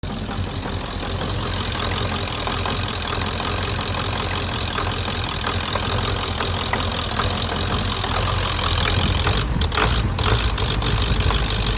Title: 7.3 psd Misfire